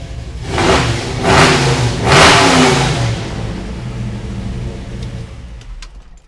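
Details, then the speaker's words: 1981 Jeep CJ Scrambler with a Wells Racing-built AMC 360 V8, estimated 300–350 hp: three strong throttle blips rise and fall cleanly, settling to a lumpy big-cam idle; healthy, crisp normal revving. "Get you some of that sound. This thing is awesome."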